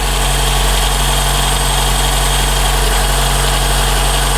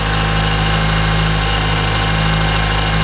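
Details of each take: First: 2012 Toyota Camry 2AR-FE petrol engine idling warm, with a steady thin screech centred in the timing chain area that gets louder, from a worn upper timing chain guide. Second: 2012 Toyota Camry 2AR-FE after the upper timing chain guide was replaced to fix a grinding noise: steady, even idle with a smooth low hum and no knocking or grinding. Healthy idle.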